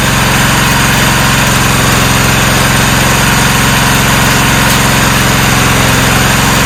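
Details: 1994 Cub Cadet HDS2135 riding mower, unused about 10 years, now running: loud, steady single-cylinder thump at a constant idle with no misses or surging. Normal idle.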